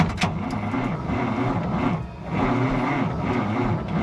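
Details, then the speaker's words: 1962 Kenworth W900A with Cummins 855 Big Cam diesel, no jakes, sat abandoned; starter on 12-volt setup, 2000 cold cranking amps, turns it over quickly in an even rhythm of compression pulses, not firing yet; owner suspects corroded cables losing voltage. "In a 12-volt system, that's rolling a lot faster."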